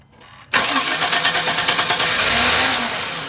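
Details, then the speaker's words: Chevy with a distributor: the starter cranks evenly but it never fires despite spark and a new fuel pump, fuel filter, cap, rotor, sensors and battery; the security light never comes on, and the cause is an anti-theft security fault. "all right so still doing the same thing and we've replaced fuel pump fuel filter cap rotor we've cleaned the mass air flow still doing the same thing"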